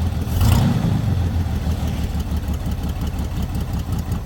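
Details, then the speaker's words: Chevy lowrider started with oil no longer blowing out the dipstick: engine catches cleanly and settles into a steady, deep, even idle rumble with no misses or knocking; normal start and idle. "H so quiet can you hear that thing Run"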